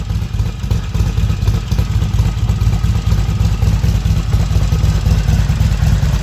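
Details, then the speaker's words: Harley-Davidson XR1200 V-twin idling after the primary chain tensioner was replaced and chain slack set to half an inch: light normal engine rattle, primary grinding noise gone; normal idle. "of course the engines are a little noisy and rattly and that's just part of them but don't have that grinding sound in the primary anymore so I'm a happy man"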